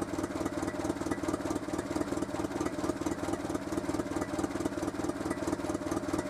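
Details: Renault Super 5 after a head gasket replacement, left idling for a 20-minute warm-up with exhaust boxes underneath making noise: steady even idle with a regular patter of about two beats a second and exhaust chuff; runs smoothly, normal idle.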